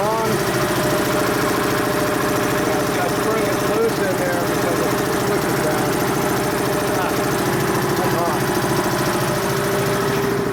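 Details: Dayton 240V 7-1/2hp shop air compressor, after motor, reed and capacitor repair, being tested while pressure-switch spring tension is adjusted: steady motor drone with a fast even pump pulse, no knocks or squeals, building from about 132 psi cut-in toward about 160 psi cut-out.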